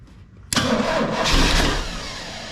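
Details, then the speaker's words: 1981 Oldsmobile Cutlass (G-body) V8 cranks briefly and catches at once, settling into an even idle: a clean normal start while testing relays; owner concludes this relay is not the problem and suspects the inside relay. "it started up this this relay is not my problem it's the inside relay"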